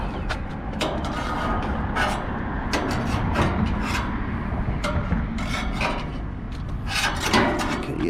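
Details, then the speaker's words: AC condenser fan after a 1:1 fan assembly swap, heard outdoors at startup: a dry scraping rub and irregular sharp ticks as the blade catches something. The owner suspects the black wire was left without enough slack and is touching the blade. "well that didn't sound good so let's go check that sounds like we had some rubbing out here"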